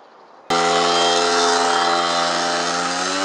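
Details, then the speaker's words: Speedfight 50cc two-stroke moped after starter relay, exhaust, carb and variator roller fixes, ridden up and down at about 50 mph, pulling hills well: sharp buzzing note jumps to high revs and holds steady, no misfire or rattle; normal running. "so guys there you go cook what up-and-down does 50 mile-an-hour pulls up Hills does really well"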